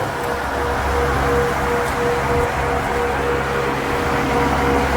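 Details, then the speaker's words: Two stock 1993-02 F-Body electric radiator fans fitted as pushers on a stand-up radiator, not yet bracketed, replacing cheap eBay fans: steady even rush of air with low hum, no ticking or rubbing; strong airflow, normal fan operation. "that feels like a lot more air going through there I don't know why these are rated at but I mean there's a serious amount of air going right there for air everywhere"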